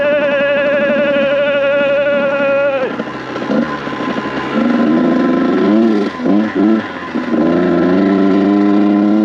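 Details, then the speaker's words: Kawasaki KX100 two-stroke with paddle tire, first ride in sand: note drops off and burbles at full throttle instead of climbing, blubbering and loading up; running rich at wide open throttle. "This bike is struggling. Let's turn around. This thing is running like poo-poo! Running like shit, bro."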